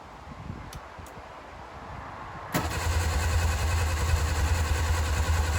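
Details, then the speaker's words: 1959 Reliant Regal Mk5/Mk6 three-wheeler unrun 20+ years, throttle at idle, full choke, fuel trickled into carb; slow cranking then catches after about 2.5 s into rough uneven low chug, not yet running on its own. "Nothing. Little fire. Okay, this could be it. She is close. So close."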